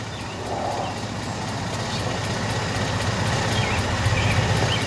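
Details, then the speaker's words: 2002 Acura RSX Type-S after idle air control valve delete with block-off plate, cold start: steady, low, slightly lazy idle under its usual speed; expected to rise to 750 rpm when warm, steering input doesn't make it jump. "idling a little low on startup tour it's idling right now there you go so you see flat on cold we should get up to 750"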